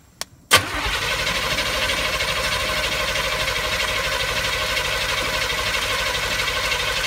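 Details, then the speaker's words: Car that ran before but now won't run; fuel filter fine, and fuel drained from the tank looks like sweet tea: a steady, even starter whirr that never catches. Crank no start blamed on bad junk in the gas tank. "You know it don't want to run when it did run. And we got a suspicion that we got some really bad junk in the gas tank."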